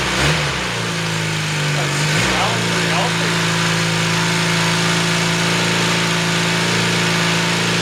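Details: 1981 Honda CM400T barn find, unrun for 18–19 years, first start after six months of work including varnished carbs, on choke in neutral, idle not yet set: cranks, catches and settles into a steady, slightly high choked idle with an even beat, no knocks.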